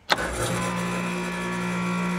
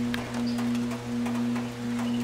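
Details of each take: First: Air conditioner outdoor unit after replacing failed dual run capacitor: click, then compressor starts immediately with steady hum and fan whoosh, running normally. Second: Air conditioner outdoor unit on a hot day: loud steady low hum pulsing about once a second with the condenser fan barely moving or not starting, earlier starting very slowly; suspected failed dual run capacitor.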